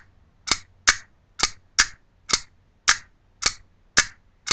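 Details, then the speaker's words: Morimoto H1 projector retrofit solenoid bench-tested by touching positive lead with negative connected; crisp, sharp clicks about twice a second with quiet gaps, solenoid switching cleanly and working properly. "So we have a negative here, and then as soon as you touch the positive, you'll hear it click if it works. That's your solenoid working."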